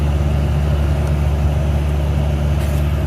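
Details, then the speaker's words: 2013 Chevy Cruze cabin blower at speed: a constant heavy low drone like a jet engine or freight train. Restricted airflow from a cabin air filter plugged with a rodent nest; blower motor worn and replaced. "okay well could this be why this sounds like a freight train"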